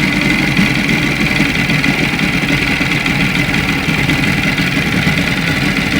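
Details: Moskva two-stroke outboard at idle: dry rapid knock on the buzzy note; rod knock from excess big-end clearance because early crankshafts/rods used 2.540 needles, later replaced by 2.498–2.500 needles.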